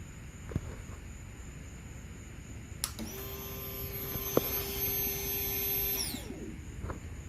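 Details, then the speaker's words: Motorcycle with new high-performance fuel pump installed, tank empty, key on: faint, steady electric whir about three seconds then clean cutoff; quiet normal fuel pump priming. "here we go is a quiet little motor wow that's quiet"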